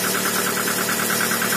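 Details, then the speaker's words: Toyota RAV4 with fully cold engine after two days not starting, spark plugs cleaned and gapped to 1 mm and wires temporarily repaired: steady idle with faint quick even ticking, suspected hydraulic lash adjuster, running smoothly without misfires. "Так ну что мотор совершенно холодный Но работает ровно чуть-чуть немножко какой-то компенсатор подступит Ну так он в принципе и будет стучать"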